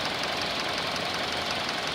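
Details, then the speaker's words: 2019 Hyundai Elantra inline-4, 7,000 miles, fresh start and idle: rapid, even diesel-like ticking over a thin, hissy engine note, quieting down as it runs. "And you can hear it started up. You can hear that ticking. Looks like a diesel noise."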